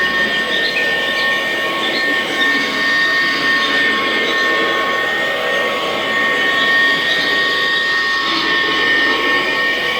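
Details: Kirby Classic vacuum (Omega with Lexan plastic fan / Classic 1-CR) after greasing motor bearings: steady motor roar with thin constant high squeal from unhappy motor bearing.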